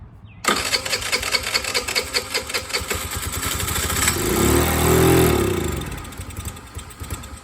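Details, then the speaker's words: 50cc TaoTao Chinese scooter, throttle linkage just readjusted after being found nearly closed with a slack cable: engine catches, sputters unevenly, swells then sags and fades; runs briefly then dies, owner suspects a fuel-starvation issue. "Yeah, interesting. So it does run, it's just not getting fuel, some kind of fuel issue."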